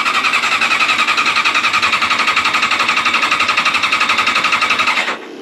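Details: Old Honda CBR600 track bike, fuel pump heard running continuously: fast even starter cranking about four beats a second without firing to run; no-start, owner plans to clean carburetors first.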